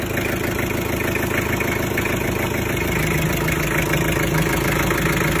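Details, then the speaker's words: Mitsubishi L300 diesel after an overhaul with new liners, pistons, rings, gasket set, clutch lining, oil and fuel filter, having previously blown heavy smoke from the oil filler; steady diesel clatter at about three beats a second, no smoke: normal idle. "Sudah bersih, tidak ngasap."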